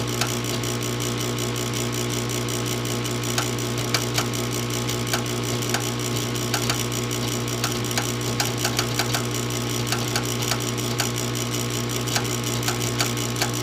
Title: Furnace won't start.